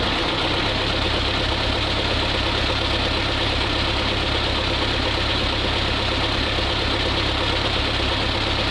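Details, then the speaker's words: Old ZIL crane truck diesel, no oil pressure reading yet, test run during restoration; steady diesel clatter with hissy background, even beat, no misses or knocks, running more crisply than before: normal idle. "Ну что ж, всё, попробовал. Работает, работает. И прямо уже чётче."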